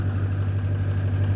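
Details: 2004 Ford E-350 6.0 L diesel van after a no-crank, no-start fix: blown 30 A PCM/injector fuse from a failed fuel heater, heater unplugged, fuse replaced. Steady, even low diesel rumble with no misses, knocks or stumbles; normal idle.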